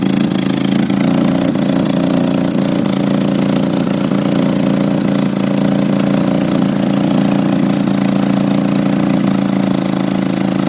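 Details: 1993 Nissan 240SX S13 with an SR20DET, Godspeed exhaust manifold and Apexi 3-inch exhaust, run on jacks: the idle is rough and wavering, barely running; an exhaust leak was first suspected, and the owner later blamed slight oil overfill on jacks, fixed with injector cleaner.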